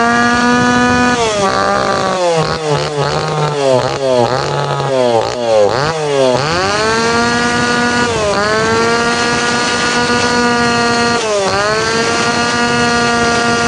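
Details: Tanaka PowerMate PMS340 two-stroke pruning saw, warm, after fuel delivery system repair and final tune-up; snaps up and drops back cleanly several times, then steady high buzz; now correct, ready to hand back.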